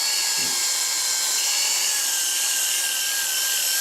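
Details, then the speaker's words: Oster A5 clipper after repair, brushes seated, running at high speed: steady, even high buzz with a clean whine and no rattle or labouring; running very fast and sounding good, normal. "But anyway, that's running very fast. And that sounds beautiful. It barely even makes any"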